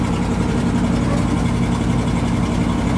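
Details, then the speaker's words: 1979 Dodge 100 truck, cold start after a choke fix: steady, even fast idle with a deep regular pulse, no stumbling or stalling. Before the fix it stalled right after starting, even in warm weather, because the choke pulled completely off. "There we go, no stalling or anything. As soon as it would, what I was doing before, as soon as it would start up, even in warm weather, it would stall."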